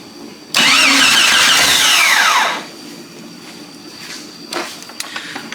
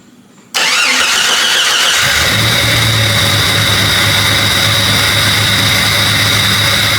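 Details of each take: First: Jeep Cherokee XJ after a replacement 15 amp fuse went in: starter whirs hard for about two seconds and the engine never catches. Cranks without starting, traced to a blown fuse; a crank sensor issue was also suspected. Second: Jeep Cherokee XJ, restart after a blown fuse that had caused a breakdown was replaced: brief fuel pump whir, then the engine catches within a second and settles into a steady, even idle with no misses; normal start.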